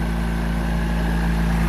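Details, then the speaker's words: Ex-naval Chinese Suzuki-clone micro van, carbureted, just started on choke, warming up: smooth steady low putter at idle, no knocks or misses; normal idle. "Everything's working all right."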